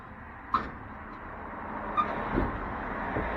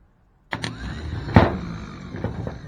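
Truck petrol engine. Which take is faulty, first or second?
second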